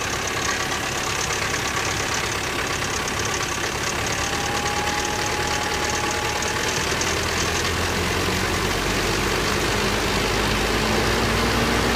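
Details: 1985 Toyota 22RE cold start after timing chain replacement: loose clattering rattle over the idle rhythm; owner suspects the timing chain has a lot of slack and is slapping.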